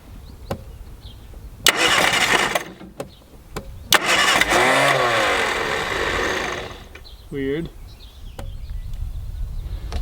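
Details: 1967 Austin Mini Moke (MK1), engine recently freed after being seized and not run for years; carbureted engine cranks in two long spells with steady starter churning but never fires, despite spark, likely no fuel reaching the carb.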